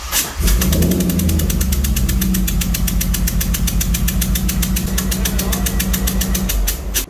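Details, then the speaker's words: 2003 Corvette C5 Z06 LS engine after a valve spring replacement, compression tester stuck in cylinder 8. Runs lumpy with sharp regular snapping ticks, about seven a second, as that cylinder's coil arcs to ground. Misfire from coil arcing. "So what we noticed the first time is that the coil was actually arcing. It wanted to ground itself."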